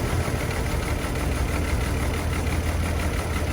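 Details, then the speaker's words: Chevy Trailblazer with a rough, uneven idle, a low stumbling beat and occasional knocks. Misfire found on cylinders 3 and 5 by unplugging coils, which brings no change. Cause not yet identified. "Misfires, unplug to see if it changed. Got Misfire right there too."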